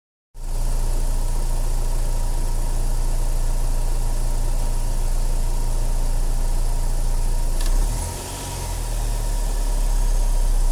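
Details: 2007 Saturn Sky non-turbo after K&N cold air intake install and MAF cleaning: steady idle with a sharp single click each time throttle is snapped open; cause unknown.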